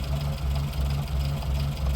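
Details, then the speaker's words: 1954 Morris Minor Series 2 after fixing valve tappet noise, just started: low steady idle with even pulse, top end now quiet as oil reaches the tappets through the rocker; normal idle. "That's now gone quiet. Yeah, silent. What we're hearing there actually at the moment is the oil just starting to lubricate the top of the tappets through the rocker"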